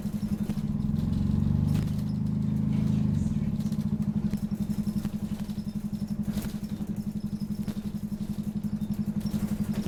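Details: Optare Solo CTP OS20 bus YJ12GVR on route 309, Poplar Baptist Church to Canning Town Station: loud, rough diesel drone with a steady throb near four per second; engine thrashing hard under load without matching pickup, suspected slipped gearbox.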